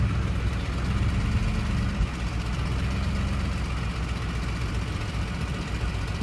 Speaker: I let off it turn off a noise goes away again and these turn on around 900 rpms or so you hear this most around 900 to 1,200 rpms